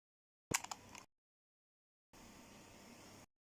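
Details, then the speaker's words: Over-40-year-old Walkman cassette deck, play then fast forward pressed: click as play engages, then only a faint even motor whir with no spools turning; owner is fairly sure the drive belt has gone. "The spools aren't turning, so if I go to fast forward, I think it's that one, nothing turns. None of them turn, so I can hear the motor going."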